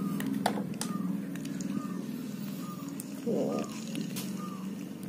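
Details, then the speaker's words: DMK Beach Comber baitcasting reel after first service in 3 years of use, including sea use, cleaned and regreased: low steady whir with soft even chirps as handle turns, no grinding; sound from the worm shaft, smooth as new. "smooth sekali bro. Nah, ini suaranya dari gear worm shaft, bukan dari bearingnya atau spoolnya."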